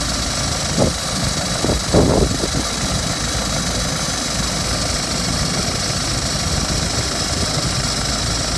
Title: BMW 320d F30 2012 plate rattling noise on cold start?